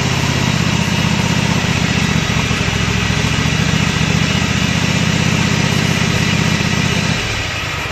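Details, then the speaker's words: Kohler Command 25 hp CV730 on Husqvarna riding mower, after carburetor cleaning, coil replacement and mouse-damaged wiring repair: even, steady thrum, no surging, popping or misses, easing off near end; running well. "Not too bad there. Seems to be running pretty good at this point."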